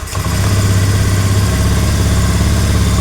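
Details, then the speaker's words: Honda Beat FI (digital, ACG) scooter idles steadily and evenly after a quick catch, no misses or knocks, after the MIL blinking and bogging on throttle were fixed; throttle is about to be opened; normal idle. "seperti biasa seperti di awal ini langsam emang aman sekarang kita gas"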